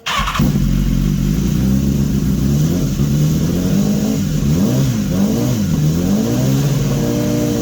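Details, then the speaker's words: 2015 BMW S1000RR after an engine swap from a crashed bike, warm, running a fuel-system cleaner to clear carbon and two-week-old race fuel: clean blips rising and falling, crisp throttle response, no misfires or rattles; normal revving. "sounds pretty good pretty pretty pretty pretty good"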